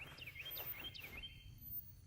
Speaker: That is a motion detector that is going to help, hopefully, run some deers off. It's got a little flashing light and a beeping sound that the deer don't like, or other animals.